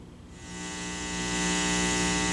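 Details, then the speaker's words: Bass guitar through a Mitchell MB-200 / Fender Rumble amp: steady low 60 Hz hum with bright hiss on top, worse with one pickup mixed in, fading at lower volume, unaffected by touching strings; problem ultimately traced to the amp, which was exchanged. "right this is a bad 60 hertz home now it does sort of go away when i turn the volume down"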